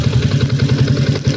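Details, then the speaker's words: Yamaha Sniper 150 B1 2016, stock cam chain tensioner, idling: quick uneven metallic clatter on each firing pulse, like a loose chain slapping; tensioner has given out, last adjustment done, quietens when adjusted counterclockwise, next step is replacement. "So pagbigay na tension na, bigay na yan eh. Ganyan na yan kanina, in-adjust ko lang kaya tumahimik."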